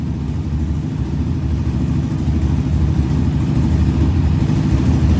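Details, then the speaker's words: 2020 Yamaha Raptor 700 after engine swap and valve adjustment correcting too-loose valves that cause ticking; even single-cylinder idle thump, rising slightly, no top-end ticking, valvetrain quiet and healthy. "now you can see the valves is adjusted perfect they don't got they don't got too much play so it's not going to have that they're tapping the ticking noise coming from it"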